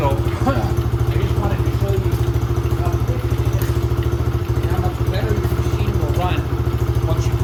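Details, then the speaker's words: Older, high-use Venom Grizzly 125cc ATV after a carburetor change and repair of a broken stator cover (pulse generator gave no spark); fires right up to a steady single-cylinder idle, no misfire or knock. "So now, we're going to fire it up. And like I said, this is with the new carb on it, so let's fire it up and see what happens. And it fired right up."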